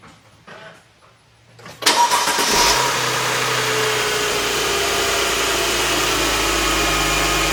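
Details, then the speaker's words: 2006 Mercedes E350 4matic M272 V6 after spark plug, coil, air filter and airbox seal maintenance: short crank, quick catch and brief flare, then a smooth steady idle with no misfire or ticking; normal start and idle. "And if you really want, you can turn it on right now. Let's hope it doesn't blow up."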